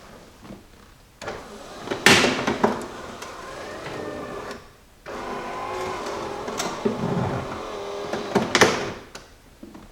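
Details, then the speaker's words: Jeep Cherokee XJ power window motor runs twice with a rough scraping grind and a clunk; likely regulator cable binding or stretched, possibly track; regulator being replaced. "I can hear that's a bunch of grinding issues I was going on in the door could also be a track issue but majority of the time it's gonna be that cable that it's either binding up and you know stretched out or something"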